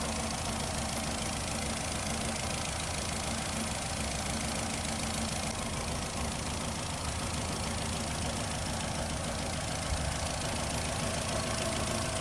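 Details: 2008 Nissan Rogue petrol engine with check engine light and misfire code P0300: busy, uneven rattle over a dull rumble at rough idle, also rough at low gear when driving; cause suspected, not confirmed.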